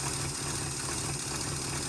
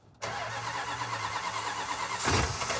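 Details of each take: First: 1971 Chrysler eight-door airport car V8, started with no coolant after a cracked block was patched with JB Weld epoxy, to heat the head: steady even idle, low rumble, no misses or knocks; runs well, not leaking, smoking profusely. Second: Cold-started 400 cubic inch big-block Chrysler V8 with starting fluid: uneven, lumpy beat,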